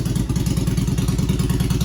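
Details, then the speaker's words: 2001 Yamaha 1100 V-twin motorcycle after fouled spark plugs from flooding, warming up: steady, even idle lope, about nine regular thumps a second, no skips or stumbles; runs cleanly. "Now it's running, and let it warm up."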